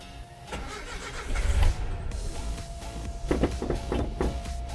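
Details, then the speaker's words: 1976 Datsun 620 with Chinook poptop camper: ragged cranking with uneven sputtering catches that never settle into an idle and a strong rich-running smell; hard starting caused by a badly clogged fuel filter. "we had an issue starting it and uh turns out that the fuel filter located back here was really clogged so we have to change it"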